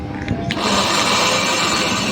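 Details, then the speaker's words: 550 W mixer grinder: after a click, a loud steady buzzing hum with no spin-up; motor hums but does not turn, only turns slightly and stops with the jar removed; carbon brush worn or armature faulty suspected. "इस तरीके से इसमें आवाज आ रही है लेकिन ये घूम नहीं रहा है"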